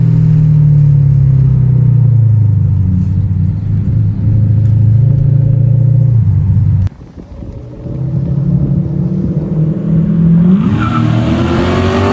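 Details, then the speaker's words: Toyota Soarer 1UZ-FE 4.0-litre V8 after an X-pipe and louvered-core resonators were added to the Black Widow mufflers: an even rumble climbing cleanly with revs, no rasp or rattle. It pulls well in the upper revs. Normal exhaust note under revs. "Still think the pipe size is a little bit big for a 4-litre, but it actually does pull quite well in the upper revs, so yeah, hopefully you can hear some of this noise."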